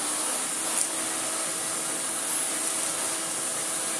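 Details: 1990s Miele S228i vacuum, refurbished, after cord reel replacement, tried with an older-style floor head: steady high whooshing motor note with airflow hiss, even pitch, no rattles or scraping; motor running healthy.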